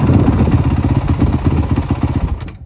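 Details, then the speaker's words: 2018 Honda CRF450R single revved under throttle: sharp rapid ticking riding the exhaust beat, the known motor knock, only on throttle; owner suspects the decompression valve, unconfirmed. "It's weird because it's only when you give it throttle, so it kind of leaves me thinking that it's maybe the decompression valve, but you never know in these things."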